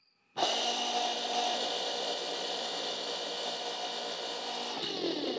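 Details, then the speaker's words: Auxiliary pump for a 2000 BMW 740i E38, refurbished with new brushes, bench-tested: even, hissy electric whir at constant pitch, no grinding or rattle, a little louder than the other pump but working like a charm; normal. "but i wouldn't be surprised that surprised because it has uh some new brushes in it so awesome this thing is working like a charm"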